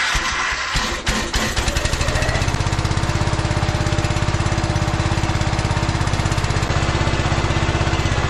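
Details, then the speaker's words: 14 hp Kohler K-series air-cooled engine on a 50-year-old Cub Cadet 1450 Hydro, after fixing the condenser mount and resetting carburetor screws to factory settings, hot: after a rough start settles into a steady, even thump, no misses or knocks; runs pretty good. "it runs pretty good it just ran that tank out of gas and I'm kind of jammed in here between the car and the thing but it works"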